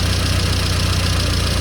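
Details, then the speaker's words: Engine idling during on-the-road tuning, brought back to baseline ready for tuning: smooth, even idle with steady low hum, no hunting, misfire or stumble; sounds good, running properly. "sounds lovely sounds sounds good now no finish yeah"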